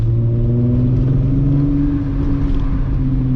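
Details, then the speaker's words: VW MK3 VR6 on a Sunday cruise after new spark plugs were fitted: smooth, even rise in pitch under light throttle with no stumbles, pulling strongly; normal acceleration. "vr6 just sounds so good oh it's so good i love it i love it i love it i love it this thing feels so good"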